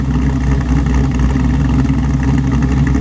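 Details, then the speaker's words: Chevrolet Monte Carlo SS V8 after new transmission install, hot triple-digit Oklahoma day: deep, even rumble with a mild lope, idling a touch fast but steady; idle deliberately raised because the AC bogs the engine; owner may lower it slightly. "I don't know I probably need to crank the idle down just a little bit but I've got it turned up this way for a reason guys the air conditioning it is it is hot out"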